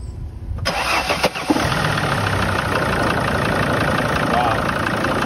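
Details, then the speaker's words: Start check on a 2006 Sprinter 3500 (T1N) diesel: short crank catches almost at once into a fast, uneven idle; sounds like low compression, with oil on the turbo and coolant leaking across the exhaust manifold, head gasket suspected. "that sounded like light compression to me that doesn't sound good when it's running"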